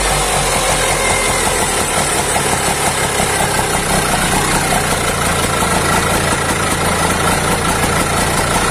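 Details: Auto rickshaw two-stroke with a racing problem, after the carburettor piston was cleaned and refitted: loud, steady idle with even, fast firing and no surging or racing; normal idle.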